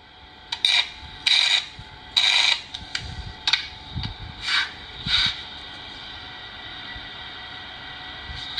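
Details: Inverter welder losing welding current, oscillator board already replaced by another technician, test weld: short bursts of sharp, high squeal each time the rod scratches, no steady arc.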